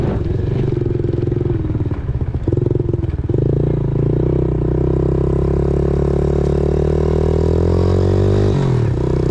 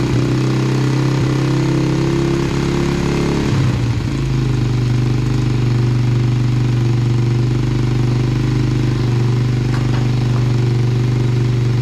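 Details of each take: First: 2000 Yamaha TTR90 single-cylinder dirt bike after repairs (carburetor refitted, chain lubed), started on one kick, outdoors: a couple of quick throttle blips, then a steady even idle with no stumble; runs well, chain possibly slightly too tight. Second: 2000 Yamaha TTR90 single-cylinder dirt bike, first start after carburetor refitted, possibly on reserve fuel: idles steadily but noticeably fast with a busy even beat; choke seems to be sticking and idle screw needs adjusting, carb suspected dirty.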